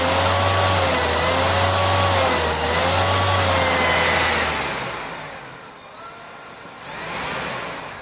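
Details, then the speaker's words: Suzuki Carry van alternator converted to a motor, fed 60 volts, field supplied through voltage regulator: steady mid-pitched whine with slight waver, then smoothly winds down; very smooth, even running with no grinding or ticking. "yeah yeah so I'm quite impressed with it it's very smooth"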